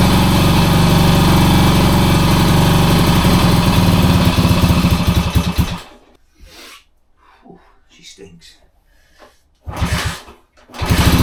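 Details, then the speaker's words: 1966 Honda C200 single, off the road since 1972, started on full choke: loud ragged chugging about three beats a second with unsteady note, then cuts out; owner suspects petrol not getting through; running rough. "Oh, listen to that. Oh, it don't sound well, but it runs. That don't sound well at all. It's not well."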